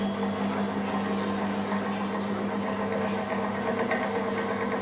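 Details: Arashi electric fan that was totally dead, running after its module was replaced; steady even motor hum with constant low tone and light whir, no rattle or scraping; fan runs normally.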